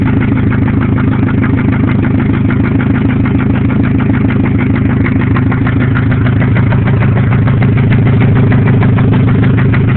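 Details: 1997 Grand Am SE 2.4L, headers only, after 30 minutes of hot freeway driving and flooring it: steady fast ticking about three a second over a rough idle; oil light comes on below 1000 rpm; owner suspects a spun bearing.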